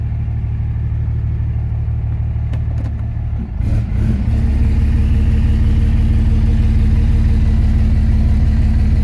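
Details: 2006 Dodge Ram 2500 diesel (last towed an RV) after something let go in the transmission, foot on brake and put in gear: idle drops into a heavy, deep labouring drone and EGTs climb. The engine lugs in gear at standstill, transmission fault suspected.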